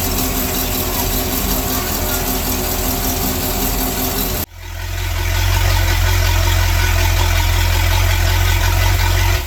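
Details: Sea Ray boat with a MerCruiser Chevy 350 5.7 L 260 hp V8 after a power-steering cooler leak check; after a brief noisy stretch a deep, steady burble settles, even with no knocks or misses; healthy idle.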